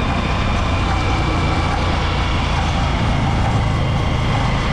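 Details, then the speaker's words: Honda Supremo motorcycle running, before sprocket set replacement; loud constant metallic clatter near chain and engine sprocket, source unclear to owner, who cleaned and checked engine sprocket and feared bearing; stretched chain on worn sprockets. "so narinig niyo naman yung napakalakas na ingay so hindi ko alam kung saan nangagaling yun mga idol no Pero dito sa may part ng engine sprocket"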